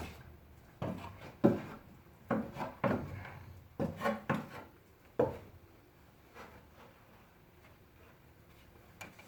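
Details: VW Passat B5+, engine off, steering worked: dull irregular clunks in short bursts from the lower steering rack; steering rack knocking.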